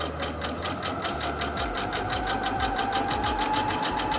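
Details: Singer HD6600C sewing zigzag stitch number five at its default 5 mm width: quick, even needle chatter of roughly three stitches a second at steady speed; smooth, regular, healthy machine.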